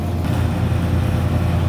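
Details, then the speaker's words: Walk-in cooler condensing unit after repairing an evaporator-section short and fitting a new compressor contactor: steady compressor hum with even fan rush, condenser fan running on fan cycle control, no rattles or knocks; normal operation. "There we go. Condenser fan motor just turned on. So we know the fan cycle control works, so that's good."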